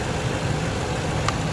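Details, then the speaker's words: Ford high-top van with a dead battery that would not jump-start from another vehicle, started instantly with a NOCO booster pack: a steady, even idle with a smooth low rumble and no knocks or misses. "just like that you guys if you can hear it running we can turn this off it instantly started it up"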